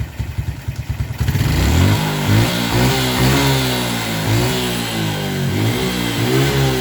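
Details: Suzuki Smash with original regulator (kiprok), after reconnecting the regulator's body ground wire: a few single pops, then it catches and revs up and down cleanly without stumbling; the hesitation on throttle is fixed.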